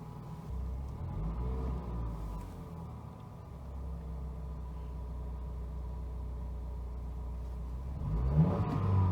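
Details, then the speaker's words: Wrecked 2017 Cadillac ATS just fired up with an airbag fault showing; the turbo engine revs up smoothly, makes a little boost and drops back to a clean, steady idle with no rattles or knocks. Runs pretty well. "Whoa, made a little bit of boost. See that? Boost. Runs pretty good, actually."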